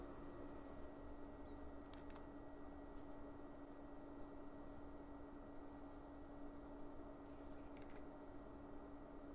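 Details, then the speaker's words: WEMAX Nova 4K UST laser projector, about a week old: steady high-pitched electrical coil whine over soft fan hiss, starting when the laser initializes and lasting while on. "but for the past two days i noticed the high pitch noise coming from the projector which is very annoying and very destructive"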